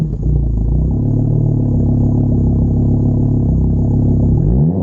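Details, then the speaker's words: VW Golf R MK6 FSI at idle, exhaust cutout open, only -5 vacuum: uneven, stumbling idle lurching through short light revs; misfire, cause not found. "it is misfiring a little bit it sounds like only negative five of vacuum that doesn't sound right let me give it a couple baby revs see what the misfires are like"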